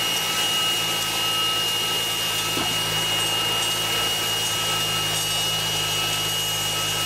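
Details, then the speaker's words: Cold 2011 Mercedes-Benz C300 with the 12 V secondary air pump unplugged and powered directly by itself: loud rushing whir with a steady high-pitched screech from failing pump bearings. Cause of cold-start screech, not pulley or power steering; pump to be replaced. "That's pretty noisy. Oh, there we go. Well, I don't know what a good one's supposed to sound like, but that one sounds really noisy. So that is the issue. It's not a pulley, it's not the power steering, it's that. It's a secondary air pump."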